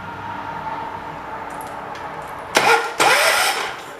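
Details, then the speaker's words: 1985 John Deere 212 lawn tractor, sat six months with diesel mixed in the gas, choke stuck; two short bursts of cranking to draw fuel to pump and carb, engine never catches: crank-no-start, owner suspects key switch or weak spark. "I'm going to crank it over a little bit more just to help gas get to the point, the pump. Then once it gets to the pump, it might help it get to the carb."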